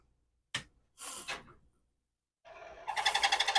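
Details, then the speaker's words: Commodore PET 4040 disk drive, powered on with a disc inside: a couple of sharp clacks, then a rapid rattling chatter about three per second as it spins up. Rough sound; lubrication issue suspected. "Ooh, that didn't sound so wonderful. There's a disc in there. Oh, maybe part of it. Oh, it's spinning. Maybe there is some lubrication issues required."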